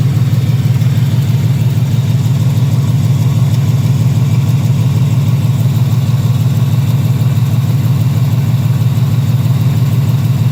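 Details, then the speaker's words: 2018 Ford Mustang GT, idling after sitting a few hours, loud exhaust: even light tick about three times a second over the rumble, heard from the lower engine on the passenger side only; cause not confirmed, owner doubts bottom end. "So I'm hearing like that clicking sound. It sounds like it's coming from the bottom of the engine. It's only on the passenger side."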